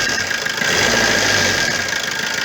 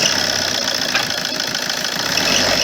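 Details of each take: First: Opel Corsa 1.3 diesel, checked for a whistling exhaust manifold gasket leak: it runs evenly with its usual clatter, and a full-throttle blip gives no whistle or puffing hiss from the exhaust. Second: Opel Corsa 1.3 diesel idling: thin, steady high turbo-like whistle, from an exhaust manifold gasket leak.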